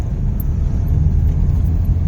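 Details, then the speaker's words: Hyundai Picanto automatic on road test in drive after throttle body cleaning, previously lacked pulling power and misfired; deep steady engine rumble pulling cleanly under load, no stumble or misfire, normal acceleration. "Ayun, meron na. Sumusulpot na. Nawala yung ano."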